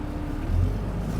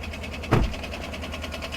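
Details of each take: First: Cummins diesel pickup with duals at dealer auction, possibly tuned, under partial throttle: deep strong note climbing smoothly, no knocks or misses, sprightly and pulling well. Normal diesel acceleration. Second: Well-used triple-black pickup truck at a dealer auction, idling with the hood open. Fast, even ticking with two heavier thumps rides over the idle. Not thought to be an exhaust leak; a rod or bearing failure is suspected, not confirmed.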